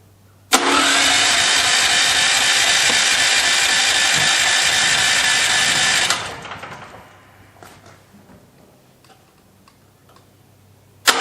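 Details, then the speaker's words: New Westinghouse generator, first start ever, on full choke with fresh gas, to get a heat cycle in it. It catches at once and settles into a steady, even buzz for about five seconds before fading: a normal cold start. "Again, this is the first time I'm firing it up, and I want to fire it up and get some voltage to it, get a heat cycle in it. I got it on full choke, so let's go ahead and start it."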